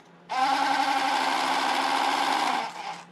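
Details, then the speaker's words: Bosch auxiliary electric water pump from a T1N Mercedes Sprinter, removed and bench-run on a 9-volt battery: a small pump spins up with an even high-pitched whir for about two seconds, smooth and steady with no rattle; normal pump run. "It's like sort of like aquarium type of water, you know? Like it's a water pump basically. This is a water pump, guys."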